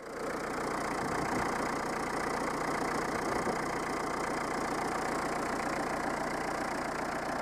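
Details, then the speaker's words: Peugeot 309 old diesel, warm, just started: even idle clatter without misses or knocks; the electric lift pump stops automatically once the engine runs via the pressure sensor; normal diesel idle. "et dès que vous le moteur tourne avec la sonde de sous pression ça arrête automatiquement la pompe"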